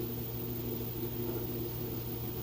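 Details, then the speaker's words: LG direct-drive top-load washer with TrueBalance reaching full speed on the final spin with a heavy load of towels and jeans: steady even motor hum while draining, no shaking or knocking; smooth, well-balanced spin. "okay and here it is on that final spin cycle it's getting up to speed and draining all the water out sounds great it's not shaking or bumping or anything like that"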